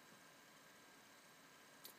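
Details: Nissan 300ZX sound system after grounding the head unit case with an extra wire: only a faint, even hiss from the car speakers, with no engine-RPM-linked whine or feedback tone.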